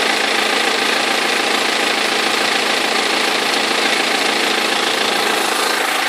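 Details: 2003 BMW E46 320d diesel at idle: harsh rattling knock about three times a second; perished crankshaft pulley vibration damper, both belts eventually fell off.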